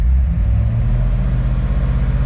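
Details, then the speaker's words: 2008 C6 Corvette at idle: a deep idle with an uneven, lumpy pulse that stumbles every few beats. It revs up fine. The owner suspects bad gas or a bad plug wire, and the scan shows very off fuel trims. An engine misfire at idle. "hear that it revs up and it's good it's just it's like it's got bad gas or a bad plug wire or something"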